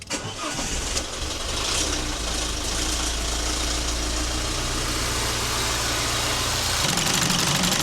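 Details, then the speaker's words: Alfa Romeo Giulietta Cloverleaf petrol engine on a warm-up with engine flush, heater on maximum: catches and fast-idles with a light rapid clatter; had oil pressure warnings and scorched oil, worn exhaust variator suspected. "I wonder if that is worn past serviceability now. It kind of sounds like that. Um the way it like clatters."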